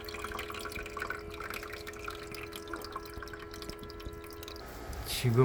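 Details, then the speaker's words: Shinil SIM-M230WS ice maker after AC tray motor replacement: soft steady pump hum with water trickling and dripping as the tray fills; pump drawing water up normally. "Can you hear the water rising? The pump is pulling the water up."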